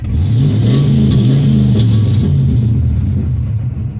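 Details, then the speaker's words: LS-swapped Chevy S-10 V8 after replacing the O2 sensor believed to cause misfire and rich running, fuel trims near 0 and AFR about 14.7: brief rev drops back to a deep, even idle with no stumble, normal idle and rev. "Drops back down to where it needs to be. Sounds a lot better."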